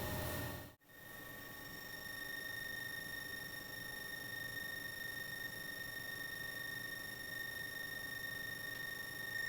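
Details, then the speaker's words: Bakon BK601S Pro soldering station during power tests on a large copper square, tip temperature matched: a thin high-pitched electronic chirp rides steadily over a faint hiss in the background, produced by the station itself. "In the background, you will hear the chirping noise produced by the backon station."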